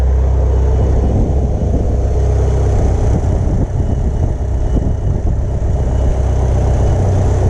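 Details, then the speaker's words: 1996 Mitsubishi Evo IV CN9A, 4G63 turbo four, idling after new spark plugs: even, steady low rumble with no knocks, misses or hunting; smooth and healthy. "all right everything sounds good go ahead and put the the cover back on"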